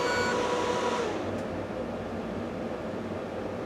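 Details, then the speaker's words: NEC P502HL-2 DLP laser projector that shuts down with a fan stall warning; phosphor wheel fan whine sags then cuts out after about a second, leaving room hum; phosphor wheel cooling fan stalling. "wow I think it's this fan I I watched that just drop on me right when that picture went out and the rest of these were still up"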